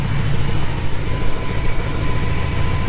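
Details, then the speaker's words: Supercharged Ford truck at a muffler shop, heard from underneath near the Y-pipe: deep loud idle with an uneven puffing pulse. Exhaust leaks at a broken clamp; AC compressor water drips onto the exhaust. "you're gonna have to see where these exhaust leaks are you kind of got to climb up under there to the y-pop to be able to see it and hear it"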